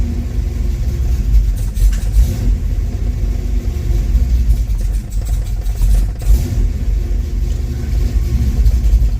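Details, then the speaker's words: 1974 Camaro Z28 with rebuilt 400 small-block Chevy, AFR heads, cold start with no choke: deep crisp V8 rumble with quick rev blips rising and dropping cleanly; healthy, snappy engine. "Let's do a cold start on here and hear how this thing sounds. No choke. Still got to hook up the tack and stuff. Crisp on this thing."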